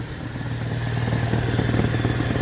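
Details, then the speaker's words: Idling petrol car at an MOT test with high lambda reading, rapid chuffing pulse from the exhaust; exhaust leak that must be repaired to pass. "listen to it you go exhaust in there that needs repair in order to pass the mot"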